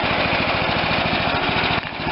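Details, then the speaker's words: John Deere LT160 with Kohler CV460S single-cylinder 460cc engine, after the carb replacement and idle speed screw raised. It gives a steady, even low-idle putter with no hunting or dying, and idles smoothly without stalling. "it comes down nice and smooth and now it won't kill unless I want it to kill"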